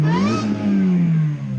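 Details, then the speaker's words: Supercharged Chevy Cobalt SS, manual, clutch pushed to start; quick throttle blips with rising supercharger whine over a deep even rumble; revs cleanly and sounds healthy; normal engine revving. "go ahead and push our clutch [Music] gotta love the rumble of that thing oh yeah"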